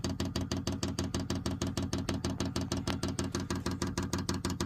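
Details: Vevor 8 kW diesel heater (newer model), first-time priming countdown, longer added fuel hose so priming takes longer: crisp, even fuel pump ticks about twice a second over low background, little fuel coming through; normal priming.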